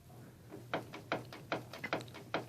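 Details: Mazda 323F BA steering rack knock: sharp, hollow knocks about every 0.4 s as the tie rod is pushed back and forth, while checking the tie rod end, rod and boot for the cause.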